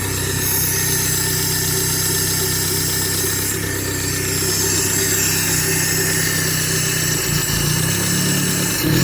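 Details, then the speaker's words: 1995 Suzuki Sierra/Samurai with G13B engine conversion running: a fast, light tick of roughly four a second tracks the revs; owner describes it as lifter noise and hopes it will stop. "So it's a little noisy. Yeah, so hopefully that sound of the lifters stops."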